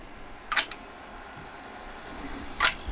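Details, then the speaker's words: GAF model 102 Rols dictation machine, pre-restoration with the mechanics running; two small solenoids push a lever back and forth under contact-and-relay control; two crisp click bursts about two seconds apart in a quiet room; working normally. "here you can see the solenoid mechanism in action right here there's two little solenoids which push the lever back and forth the control circuitry which controls the back and forth motion is entirely done with contacts and relays it's a nice electromechanical machine"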